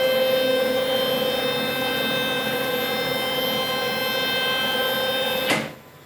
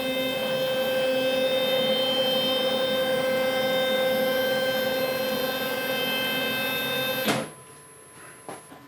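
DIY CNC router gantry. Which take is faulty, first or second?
second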